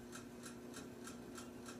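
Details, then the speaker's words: About 10-year-old 42-inch Walmart Aloha Breeze hugger ceiling fan on high: light, sharp ticks about three per second over a low motor hum, keeping time with the blades, with a slight wobble; intermittent click, bearings suspected, unconfirmed. "and now for high it's pretty quiet on high still it is pretty noisy and it does click"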